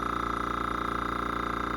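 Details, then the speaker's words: New Gaahleri GT-918 airbrush compressor running under a card table while pressure builds: a steady, even hum with a fast regular pulse and no knocks or rattles. It is running normally and is slightly quieter than the owner's older compressor. "Now we'll turn on the Gaahleri, and a little bit quieter. Not a lot quieter, but a little more subtle."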